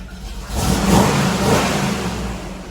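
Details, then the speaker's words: 1969 Chevelle V8 through a cobbled-together side-exit exhaust for registration inspection: short blip rising then settling into loud but even rumble, no rasp or ticking, no louder than any other 69 Chevelle; normal exhaust note. "doesn't sound more than any other 69 Chevelle. So I think that this is gonna be enough."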